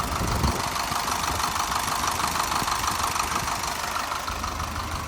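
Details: 2003-2005 Isuzu NPR diesel truck that had low/high rail pressure codes, limp mode and stalling, traced to a poor connection (broken cam lock) at the engine-to-chassis harness plug: even clatter at steady idle, no stumbles; normal idle.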